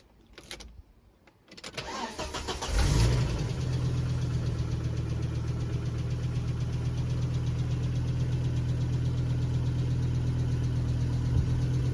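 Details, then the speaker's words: 1997 Volvo V70 T5 manual, 5-cylinder turbo, about 160,000 miles: starter cranks steadily, engine catches a split second then dies; failed key chip/ignition antenna ring immobilizer not synchronizing, fixed by key change. Immobilizer no-start, fires briefly then dies. "And what will happen is that, as you heard earlier, the engine will kind of go to start. It'll sound for a split second like it's going to start, but then it won't, and then it'll die."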